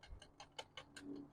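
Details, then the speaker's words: Full-suspension mountain bike on its first ride with badly misadjusted derailleurs: light, even ticking about five times a second while pedalling, with constant chain noise. Derailleur ticking from misadjustment. "but the derailers are so off that there's constant noise and Ticking sounds and stuff I think you can probably hear that"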